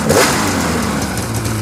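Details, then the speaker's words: Fuel-injected snowmobile with new spark plugs: the engine catches and settles into an even idle with a light rev, no misses, knocks or kicks, sounding healthy. "The motor's nice and smooth, there's no weird kicks or anything. It's got new plugs in it."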